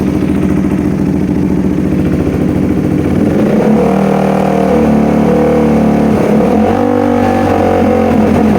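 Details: KTM Duke 390 single-cylinder revving; revs climb unevenly, briefly stumbling mid-rev; hesitation or misfire under throttle, throttle body cleaning and TPS sensor suspected, not confirmed.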